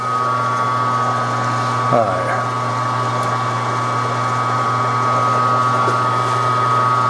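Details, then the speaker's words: Home hobby machining of 7075-T6 aluminium with spindle slowed two steps down from too fast (which squealed): steady motor hum with clean, even cutting tone and no squeal, normal cutting at correct speed. "this is much too fast unless you want to hear it squealing on an NC machine it'd be fine you don't have to stand there and listen to it that's better"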